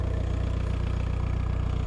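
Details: VW T3 diesel bus at 4600 m in the Peruvian Andes, blowing white smoke and lacking power, while revving: a heavy, pulsing, uneven drone with no turbo whistle. Owner says the turbo is seized, leaving no boost.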